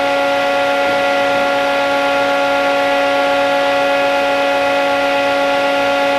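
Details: Old plasma cutter powered up at 30 amps after freeing a stuck, sticking internal switch found during troubleshooting; fan and power light on. Loud, steady high-pitched hum with no stutter or dropout: normal running.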